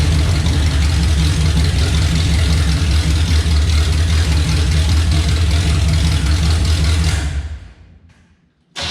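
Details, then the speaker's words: Chevelle with a 350 V8 on open headers before the turndown pipe sections are fitted: loud, deep, steady burble, lumpy but even firing, then shuts off; healthy idle, not super loud. "I'll start this up and we'll get a clip with it open header the way it is now which honestly really isn't super loud since it's just as stock 350 as far as I know"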